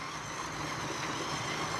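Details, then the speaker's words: 1980s Bachmann pancake-motor model locomotive after service pulling a string of coal cars: steady even whirring hum with perhaps a slight tick; normal running under load. "I don't I don't know what a I don't know what a Bachman pancake motor actually sounds like oh I guess it sounds like this with a little tick tick tick tick tick tick you mixed in"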